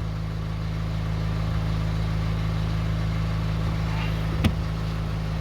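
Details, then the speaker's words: Renault Twingo idling after an exhaust fix, recorded inside the car with the bonnet open: even steady low hum with no more tic-tic ticking, one brief clack near the end; owner suspects another worn exhaust mount still causes a slight noise. "en tout cas c'est beaucoup mieux donc voilà ça fait un bruit de voiture normale il n'y a plus un bruit tic tic tic tic"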